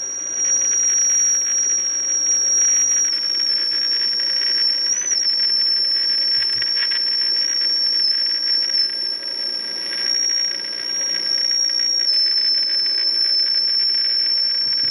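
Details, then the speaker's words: Philco 48-250 tube radio after capacitor replacement, IF alignment repeated: clean high whistle at even strength over soft hiss; IF stage peaked and aligned. "repeat the same process process once more I think we have it Peak pretty well"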